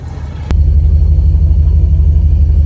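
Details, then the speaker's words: Bone-stock 1971 Dodge Charger 383 Magnum 500 with original, somewhat worn cam, just started: after a click, a deep, steady, even V8 idle with no knocks or misses; normal idle, great oil pressure. "Butter. Smooth. Check it out. It actually does run and drive very well."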